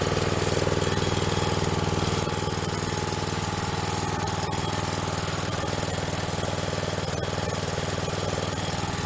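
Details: Troy-Bilt two-stroke string trimmer after fuel system repair, new air filter, pre-filter and spark plug, started without priming: steady, even buzzing run at constant speed, no misses, surging or rattles; running normally.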